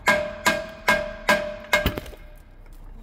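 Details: Boat propeller with no bonding and failed, loose anodes, tapped with a hammer: short clanky rings that die fast, then a crumbling clatter as a piece falls off; seriously dezincified bronze blades.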